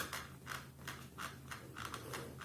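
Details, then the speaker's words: Tutis stroller wheel not yet treated: sharp, squeaky creaks about three per second as the wheel is pressed, from the plastic cover rubbing on the wheel; greasing did not help, creak returns after about 10 minutes of walking. "вот он скрип я думал что его должно быть хорошо слышно"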